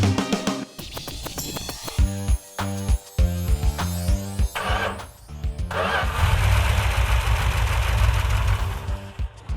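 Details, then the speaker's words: Newly rebuilt 340 V8 after teardown for knocking (sand found in engine, low compression, ran on six cylinders): now settles into a steady, even idle with no knock; normal idle. "That's the way it's supposed to Bump run."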